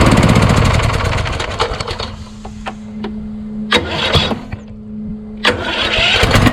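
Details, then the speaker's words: Craftsman YS4500 lawn tractor repowered with a Kohler Courage engine, about 36°F: loud run dies away, then a steady starter hum with bursts of effort that keep stalling on compression; owner suspects a weak starter, not the Bendix gear; valves already adjusted to the limit. "it's just going to be caught up no matter what because once you have that compression stroke it's not strong enough to turn it all the way so you know what I probably need a new starter"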